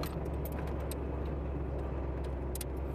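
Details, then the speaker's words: Classic car on a lot idling: steady fast idle with constant low drone and nearby jingling; idle entirely too high. "to that idle. Entirely too high."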